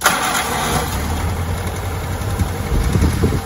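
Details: Willys L134 flathead engine just after head gasket replacement, run outside with smoke expected from antifreeze in the system: low, steady rumbling idle with even firing and no knocks or misses; normal idle.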